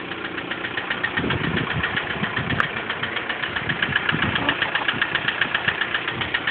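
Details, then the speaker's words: 1999 VW Golf TDI idling out of gear: light, rapid, regular ticking keeping pace with the engine over a steady diesel idle. A noisy tappet. "That's the sound of the noisy tappet, so you can definitely tell it's there."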